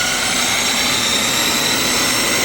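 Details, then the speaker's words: Milwaukee 6360 10-1/4 inch circular saw, in for a cut cord and brushes, run free without cutting; a high, steady squeal rides over the motor whir; bearings judged bad, all three to be replaced. "it bearings all right so it seems like the bearings are bad um did if you heard that uh definitely has some squealing going on"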